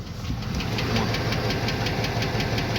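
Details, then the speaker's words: Cadillac Escalade 6.0 after a major engine rebuild, warm idle: sharp, regular hammer-like top-end knock; owner suspects hydraulic lifters or valves, cause unconfirmed; oil was changed and a Suprotec lifter-noise additive and flush were being tried. "В общем барабанят Жёстко не знаю то ли гидрики то ли клапана очень жёсткий стук её после капиталки"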